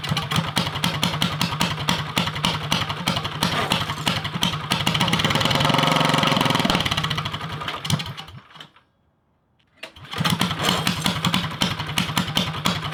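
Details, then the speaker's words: Drift go-kart with single-cylinder engine on stage 1 kit, not run since last summer: engine pulses unevenly, surges, sags almost to stall, recovers; hunting idle, owner suspects it just needs running in again. "So it's struggling to find idle, I think, just because it needs to be ran more, and it hasn't been ran since last summer."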